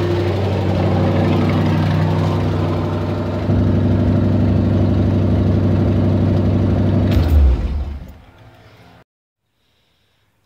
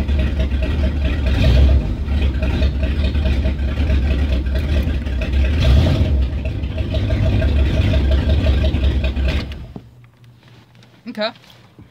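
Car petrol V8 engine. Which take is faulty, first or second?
first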